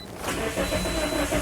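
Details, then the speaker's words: 2010 Toyota Corolla 1.8 L, codes B2797 and B2799: starter turns the engine over at an even rhythm but it never catches; crank no start, immobilizer not recognizing the key, starter fine. "So, as you can hear, the engine cranks, but it doesn't start."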